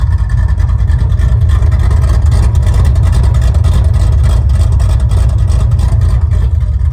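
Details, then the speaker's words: Dodge Super Bee freshly rebuilt with a 440 replacing the blown 383, while driving. A deep, throaty, lumpy V8 exhaust burble under load with no knocks or rattles; a healthy big-block rumble. "How can you not just love that sound, that rumble?"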